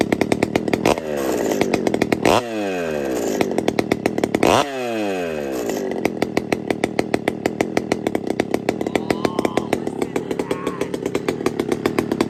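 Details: Pioneer P-41 chainsaw with big-bore kit, running: crisp two-stroke climbs cleanly to a high wail on each throttle blip and drops back to a steady idle; normal running.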